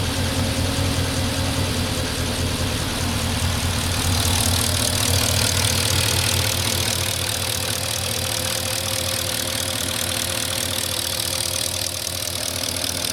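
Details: 2004 Porsche Cayenne S 4.5 V8 with about 50k miles, about 3 minutes after a cold start. Steady warm-up idle with a light, even tick about three a second. Owner believes it is normal, not scored cylinders or piston slap; possibly valvetrain noise, cause unclear.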